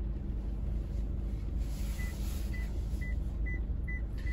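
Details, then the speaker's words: 2024 Toyota Highlander Limited AWD, 2.4 L turbo four-cylinder, reversing: rear parking sonar gives short high beeps, about two a second and quickening as an object gets closer, over a low cabin rumble. "now if you can hear the beeping that is your uh rear parking sensors or backup parking sensors uh Toyota is now calling it parking sonar"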